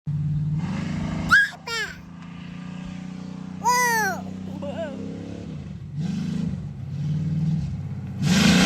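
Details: 1986 Ford service truck with a 7.3 IDI diesel, after welding a true dual straight-pipe exhaust; low, even rumble swelling smoothly with several throttle blips and dropping back cleanly; normal engine revving.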